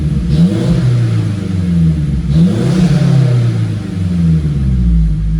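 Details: Turbo Mazda on a very cold, frosty morning, after timing chain/VBT work; first start attempt failed with the high-pressure fuel pump unplugged, now plugged in. Engine revs up cleanly and drops back smoothly, no misfire or knock; sounds like a brand-new, healthy engine.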